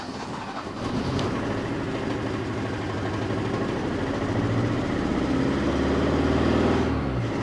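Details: 1984 Opel Ascona 1.6S, 90 hp, after possibly mixed-up ignition wires: lumpy, stumbling idle about four beats a second over a low exhaust drone, needs throttle blips; a cylinder misfires, plugs found black and wet.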